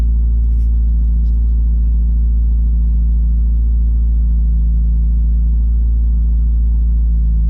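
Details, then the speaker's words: 2017 Subaru WRX cold start, code P0303 cylinder 3 misfire; steady low idle with uneven stumbling pulse about four beats a second; plugs 1 and 3 replaced, oil on cylinder 3 plug, internal fault suspected. "Misfire related. Cylinder misfire detected."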